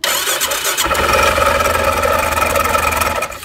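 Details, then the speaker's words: Ringing metallic clatter from the clutch area as the engine catches and idles, louder at the clutch; typical of a bad clutch one-way bearing. "is what a bad one-way bearing sounds like. Now you may notice a louder noise in the clutch. It may sound like a metallic sound."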